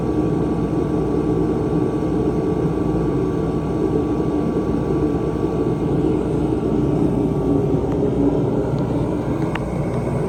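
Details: 140,000 BTU Mr Heater fan-forced diesel heater, a few years old with heavy mouse damage, after cleaning, fuel pressure about 6.5 PSI: even, steady roar from fan and burner with no surging, pops or misfire, burning cleanly and running well.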